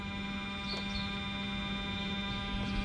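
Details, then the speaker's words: Mercedes SL600 repaired throttle bodies, ignition on, tested on a non-matching control module: steady low electrical buzz from second throttle, no clicks or stutter, holding position; normal buzz, some units louder than others. "Don't mind the noises. Some of them make more noise, some of them make less noise. Mine are louder than these. This is another second throttle buzzing."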